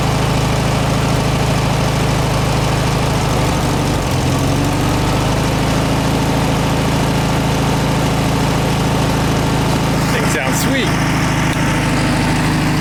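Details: 1967 VW air-cooled flat-four (ragtop), long-stored, on old stale fuel with fan housing off; runs steady and even with no misses, knocks or rattles. Healthy running; owner suspects missing accelerator pump.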